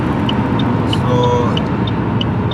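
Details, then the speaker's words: 2007 Saab 9-3 2.0L turbo, floored on the highway under boost while Tech 2 counts misfires: rough running with a sharp irregular tick about three times a second; cylinder 2 misfiring badly, check engine light flashing. "Now I'm gonna floor it down, and right now it's misfiring badly."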